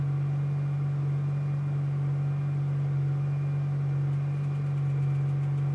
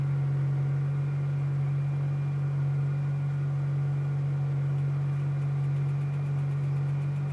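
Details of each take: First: 2005 6.0 Powerstroke diesel, hard cold start after about five hours plugged in (breaker blew) and a battery charge; once started it settles into a smooth, steady idle, constant low drone, no stumbling or knocking, normal idle. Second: 2005 Ford Powerstroke 6.0L diesel, cold start after about 5 hours plugged in (breaker blew) and a battery charge: a steady, even cranking drone with no firing pulses, turning over but not starting; hard starting, cranks without firing.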